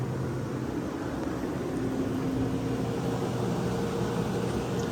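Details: Vintage Westinghouse 10,000 BTU window A/C; fan slings condensate from the undrained base pan; steady even hum and airy fan rush on high cool, no rattles or knocks; normal running.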